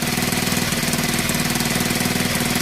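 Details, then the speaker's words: Honda XL125 rebuilt from spare parts, idling on the exhaust from the original 125 after an engine swap; crisp, regular single-cylinder thump at steady idle, no knocks, misses or rattles, sounding sweet. "we put the exhaust on that was on the one two five but we swapped the engine out off lucky enough we didn't throw it away but that's finally downloads that engine sounds really sweet"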